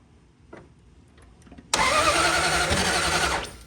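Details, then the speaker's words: Dodge Dart V8 project car, after battery reinstalled, another shot sprayed down: engine cranks, catches abruptly into a ragged uneven burst and dies; something still not right, small oil leak seen; incorrect ignition timing. "Okay, so we still have something going on that's just not quite right."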